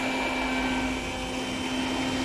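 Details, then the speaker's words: Eberspacher Hydronic 30 kW heater on bench, connected to batteries and diagnostics, at start attempt: smooth, even electric hum of the water pump with steady pitch, no rattle or grind; normal pump operation. "okay so i wanted the cap and i will try to start the unit now and see what happens okay you can hear the water pump"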